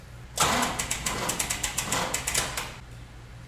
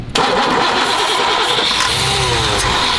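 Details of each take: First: 3rd-gen Camaro with the fuel tank suspended and everything plugged up to prime: fast even cranking, a pause, then it catches on the second try and settles into a steady, smooth idle; running healthy. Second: 3rd-gen Chevrolet Camaro that broke down: cranks, then catches at once on a quick spray of starting fluid and runs roughly; fuel starvation.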